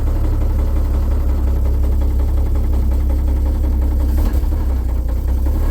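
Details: 1950 Chevrolet 3800 one-ton, Chevy 235 six, sat since 1977, with Lucas Oil Stabilizer at 60%: deep even idle with dull knock about three beats a second; rod knock persists despite additive.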